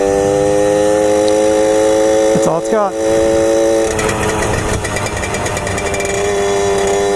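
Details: 1997 Suzuki JR50 50cc two-stroke kids' dirt bike after restoration and hidden gear mod, riding: revs climb, then turn ragged and stuttering near the top instead of pulling clean; misfire at high rpm.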